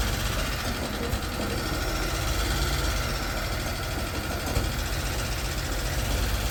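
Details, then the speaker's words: 1991 Dodge Grand Caravan 3.3 V6, running after 21+ years, a part flew off causing a vacuum leak: an uneven, stumbling idle with irregular dropouts and chuffs, a hard miss. Plug wires in the wrong firing order are suspected. "Kind of running like crap. It's missing pretty hard. Let's make sure I got the firing order right."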